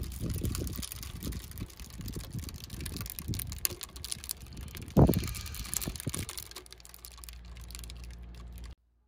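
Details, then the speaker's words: Desktop distiller cleaning dirty IPA or denatured alcohol from resin 3D-print washing, at default 95 degrees: irregular soft crackles and pops over a low hum, normal boiling, with some outside noise. "I apologize for the outside noise. Just wanted you to hear the normal crackling sound so you didn't worry about it."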